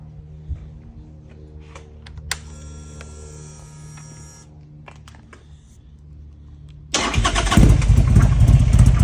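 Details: Buell XB12S V-twin: low lumpy idle with a brief thin high whine, then sharp revs; odd noise, cause unclear.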